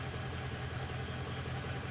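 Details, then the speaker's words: 2003 Ford F350 6.0 diesel that starts, runs rough and stalls; deep idle with an uneven, loping pulse as cylinder seven fades; injector leaking combustion gas into the fuel causing misfire. "we're missing on number one it's actually seems good it's idling okay as you can see number seven starting to fade"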